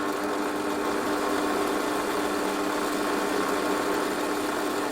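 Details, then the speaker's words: Lathe spinning a shop-made knurling tool part with an offset weight at about 450–460 RPM, tailstock removed: steady droning hum as the out-of-balance workpiece shakes the whole lathe. "I'll actually show you the problem I don't know whether it'll show up can you hear that that's no good at all the whole lathe is shaking"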